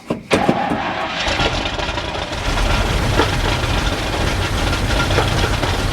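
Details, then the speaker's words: 1964 International service truck V8 fired for the first time on fuel poured into the carburetor bowl: cranks and catches, then runs with an uneven, stumbling idle and ragged beat on about four cylinders, smoothing slightly before dying; rough-running misfire. "man that thing popped right off that was awesome it was a little rough in the beginning running on like four cylinders it started to smooth out a little bit before it died"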